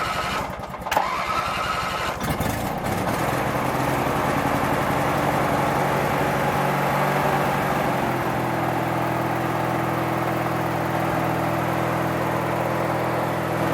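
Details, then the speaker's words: Craftsman 19.5 riding mower engine cranks rapidly for a couple of seconds without starting, then catches and settles into a steady run only once cranking stops; suspected faulty ignition switch causing crank-no-start. "the only thing I found to be really odd is that it will start when you let off of the crank otherwise you'd sit there and crank it and crank it and crank it and it won't start second you let off it'll start"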